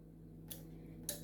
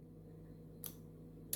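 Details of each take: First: the relay is clicking why because when i close the ignition turn the ignition key on current to flow to ground so this relay will respond it is actually closing it is closing but look at the circuit nothing is happening Second: Relay in a battery, switch and series/parallel bulb demo circuit, after a missing relay ground was fixed: two crisp, sharp clicks about 0.7 s apart over a faint low hum as the relay pulls in and the circuit works normally.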